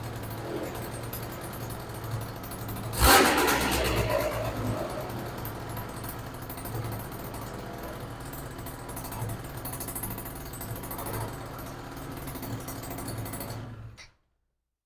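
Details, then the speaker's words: Yamaha BWS 100 (MBK Booster 100) two-stroke, first startup after a Malossi 125cc big bore kit with a 22mm Dellorto carb. Uneven raspy, chuffing buzz: exhaust blowing at the header and from the squished, cracked, dented pipe. "You can hear the exhaust blowing. So you can see this pipe is squished and a little bit broken."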